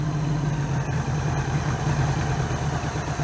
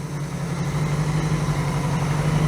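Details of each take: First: 1982 Honda GL1100 Goldwing, single Solex-type carburettor conversion with electric choke, just started cold: steady high-pitched fast idle rising slightly; possibly over-choked or choke slow to release, needs fine tuning. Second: 1982 Honda GL1100 Goldwing with single Solex-type carburettor conversion and electric choke: steady, even low-pitched idle with smooth unbroken beat, no knocks or misses; normal idle.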